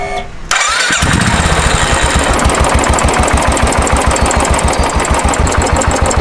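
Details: Motorcycle with 12,500 km at a small service, engine not yet fully warm, just after adjusting the idle screw: starts right away and settles into an even, steady putter with no misses or knocks, a healthy clean idle.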